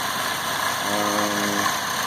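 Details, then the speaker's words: 2010 Chevy Malibu 2.4 after cam solenoid replacement; steady idle with faint uneven throb, still misfiring on cylinder 1, no check engine light, fuel pressure around 60. "Put everything back together. Obviously still got a misfire."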